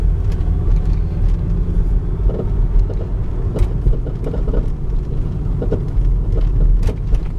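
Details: Volvo S60 while driving: irregular sharp knocks through a heavy low road rumble.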